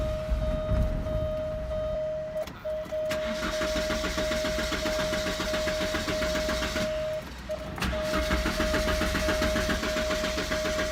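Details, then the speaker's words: 1988 Porsche 944 with new fuel pressure regulator and DME temperature sensor: starter turns engine over steadily but it never fires; fuel pump not heard running, cause unclear. "Oh won't start me unless you know weird thing about this I don't hear the pump running which worries me"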